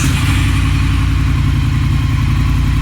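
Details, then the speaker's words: 2018 Triumph Thruxton R just after catalytic converter replaced with Motone X-Pipe, first cold start: deep even twin burble, steady, no misses, ticks or knocks; runs well, sounds better than stock, will self-map once warm. "Okay, sounds like it's running pretty good. Definitely sounds better."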